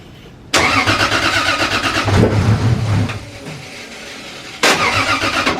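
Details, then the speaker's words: Freshly rebuilt forged Toyota 1.5JZ first start after priming oil pressure with crank sensor unplugged: fires first try, settles to even steady idle, no knocks or misses; normal start and idle, coolant not yet bled. "camera died on the iphone now but it's running pretty good"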